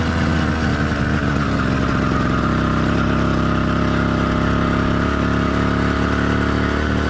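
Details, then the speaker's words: Warmed-up but not heat-soaked two-stroke motorized bike kit engine (single-speed, single-circuit carburetor): steady, even drone at constant pitch, no knocks or misses, pulling smoothly; normal warm running. "let's listen to how the motor sounds after it's been warmed up but note this motor is not heat soaked that comes after you've been riding for 15 to 30 minutes straight and the Dynamics of the motor will change slightly which we'll cover later"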